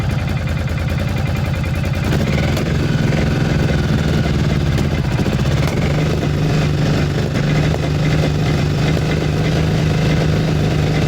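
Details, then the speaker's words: Cagiva 750 Elefant V-twin (Ducati engine) idling after a bad wiring connection was fixed by moving the cables; both cylinders firing again, slightly uneven at first then settling into a steady, even loping beat. "Does run on both cylinders again."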